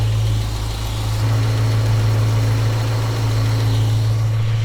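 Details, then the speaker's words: Small-block Chevrolet in a panel truck with Sanderson headers, freshly installed, after carburetor mixture screw adjustment: steady, even low rumble at about 700 rpm and 20 inches of vacuum, no misses or lopes; decent base tune. "Okay, so we're at 20 inches of vacuum. We're at about 700 RPM. That feels about good. That seems like a decent bass tune."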